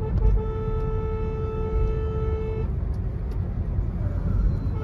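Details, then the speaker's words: Hyundai Venue turbo petrol on a road test after fixing a misfire traced to a bad spark plug: deep, even engine and road rumble, smooth healthy pull under load with turbo boost back. "एकदम बिल्कुल perfect है अभी लग रहा है कि हा सच में टर्बो गाड़ी चला रहे हैं टर्बो का बूस्ट मिल रहा है"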